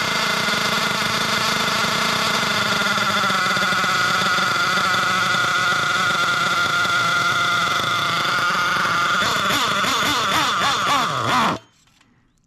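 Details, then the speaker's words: Losi LST XXL nitro RC truck, warming up after low-end needle adjustment: high-pitched engine screaming unevenly, pitch wandering before cutting out abruptly; owner suspects air leak because the high-speed needle isn't sealing. "yeah maybe it's sucking air from that carve that that that highspeed needle doesn't seem like it's sealing"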